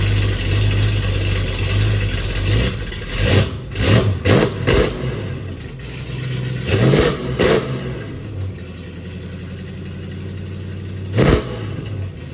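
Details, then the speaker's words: Ford 390 FE big-block V8 in a station wagon with new stainless exhaust and Black Widow mufflers: rumbling idle with quick, clean throttle blips; crisp, healthy running. "I'm not sure what that sounds like on camera but that sounds a really crisp good sounding I like how the hpip Mellows it out just the hair sounds really good"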